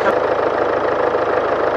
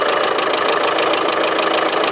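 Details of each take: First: 2016 Land Rover Discovery Sport, 2.0 Ingenium diesel, 101,400 km, brought in for ticking and an engine warning light. It now has an even, steady idle with no ticking after oil was added to the low engine; oil consumption is suspected. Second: 2016 Land Rover Discovery Sport 2.0 Ingenium diesel at 101,407 km, cold morning start, idles with a rapid, sharp metallic ticking steadily over the engine note, recorded from the front, with the engine warning light on.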